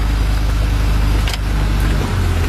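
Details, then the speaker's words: 1996 Honda Civic petrol, warm with normal temperature gauge, A/C on; steady even idle held high near 1,100 rpm that never settles down, before idle air control valve replacement. "Pero ang taas pa rin ng niya guys, ng RPM niya guys. Normal yung temperature niya. Hindi bumababa."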